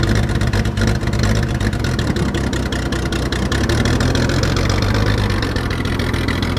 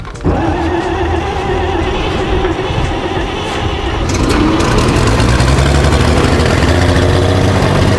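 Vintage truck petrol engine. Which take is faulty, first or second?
first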